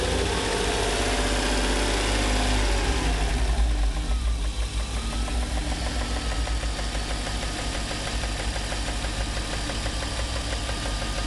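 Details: 1994 BMW 325is (E36) at idle: loud, fast ticking about three a second with slight rough idle, smoothing out above idle; no codes, started after a long 135+ mph run, source undetermined.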